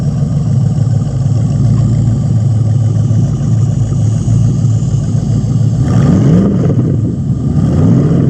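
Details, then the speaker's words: 1999 Corvette LS1 V8 pallet drop-in kit with about 154,000 miles, with its own harness, ECU and fuel tank: V8 holds a smooth, even idle and picks up cleanly on quick blips; normal idle and revving. "So this has got a little bit of mileage on it, about 154,000. But it's an LS that runs and sounds really, really great here."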